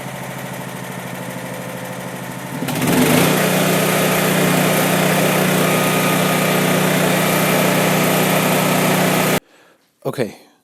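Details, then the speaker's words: Honda EB3500 generator revived after purchase: fires and holds a strong, even hum about seven seconds before shutting off; earlier smoke thought due to slightly overfilled crankcase or oil in cylinder; runs cleanly. "shout out to honda honda you're incredible the goat so all that smoke blowing out of there must have just been because that crank case was a little bit filled"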